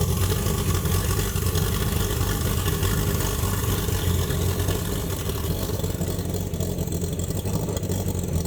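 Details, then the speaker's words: Chevrolet Opala SS turbo inline-6 after the camshaft was fixed and a new manifold fitted: strong, even six-cylinder run with deep steady rumble easing toward idle; normal idle. "Let's turn on this Opala For the Americans to experience the power of the inline 6 Came back to life again"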